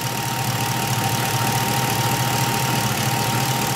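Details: 1977 Camaro Z28 V8 warming up, heading to about 190–195° with the thermostat opened: even, steady idle with a smooth exhaust beat and no knocks or misses.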